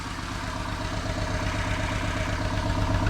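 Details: Test engine idling with rhythmic stumble about 160 times a minute, one cylinder missing; compression excellent, no smoke, briefly fires on all cylinders; owner suspects sticky valve, not confirmed.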